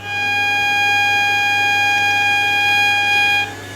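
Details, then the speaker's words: Refurbished Electrolux Z504 vacuum cleaner, 450 W; a clear, steady high whistle rides over the motor's rush for about 3.5 seconds, then stops; the bag-full indicator whistle is working. "and even the bag full our whistle is working as well if see if you can hear it"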